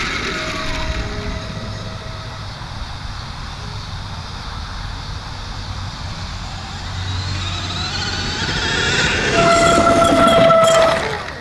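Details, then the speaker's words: 79Bike Falcon GT (Surron) electric bike while riding: a thin, steady, very loud high squeal comes in as the front brake is applied, loudest near the end. The front brake squeals. "And you guys heard the squeaking that I was talking about, right? It's just when you hear the front brake, it squeaks like it squeaks really loud."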